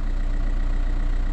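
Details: VW Touran idling right after an oil change (5W30, new filter, old oil very black), hood open; it starts better than before, when it used to judder on starting. Steady, even low rumble with no knocks or misses: normal, healthy idle.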